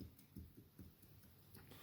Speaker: So what that means is that it's going to need new valve guides before I could even put it on the other head.